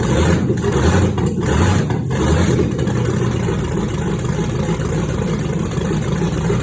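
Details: 1962 Chevy C10 with 5.3 LS swap and 4L60E transmission, first start of an engine built and stored on a stand almost three years, cams redone: deep steady rumble with choppy loping idle around eighty pulses a minute; running fine.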